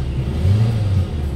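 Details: Hyundai Getz 1.6 after misfire and vibration repair: short low even idle rumble, no shake or stumble; problem solved.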